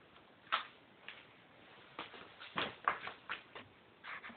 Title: Bottom Bracket Creaking Sound